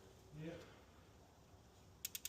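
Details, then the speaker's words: BMW E92 M3 with S85 V10 swap, MaxxECU and DCT, before first start; ECU remotely triggers an injector, giving five crisp evenly spaced ticks about ten per second, clearly audible: normal injector click. "Yeah, clear as day. And with all three of us now satisfied that this car was wired correctly, the ECU was communicating with all the injectors, coil packs and every single sensor"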